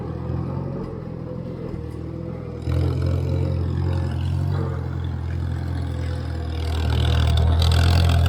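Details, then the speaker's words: 1958 Farmall 350 tractor after carburetor and fuel-flow fixes, driven around a field and up a slope: strong, even low drone that steps up cleanly as the governor opens under load; pulls steadily with no misses. "I like to hear that Governor open up on this tractor uh when you go up a slope"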